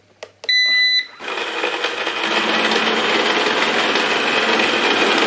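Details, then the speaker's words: Eufy RoboVac 30C robot vacuum, one side brush motor faulty: start-up beeps, then harsh rattling, ratcheting whir while the brush spins, unlike the quiet other side; gears suspected to have broken or worn teeth, to be replaced. "As you can hear, it's making a an awful noise."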